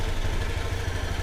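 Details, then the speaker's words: Used automatic scooter checked before buying, engine idling: low, steady putter with even firing, no knocks or rattles; engine and CVT sound smooth, healthy. "Dan kalau ini kan mesinnya halus nih, gak ada bunyi apa-apa, sipitnya juga masih halus."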